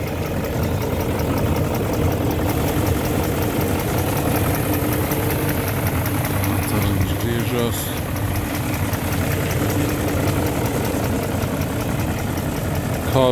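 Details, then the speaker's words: BMW E38 735i petrol, long parked by a fence, just started: a smooth, even idle at a steady pitch with no ticking or stumbling. It sounds as it did when driven, with no smoke from the exhaust. "Kā toreiz, kad braukāja, vēl tāpat arī skan."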